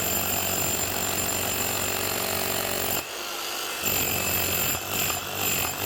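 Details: Milwaukee 545S Kango demolition hammer after new armature and brushes replacing burnt-out motor: dense, steady blows with short pause when lifted, no grinding; hammers fine, lifts itself, striker has good compression.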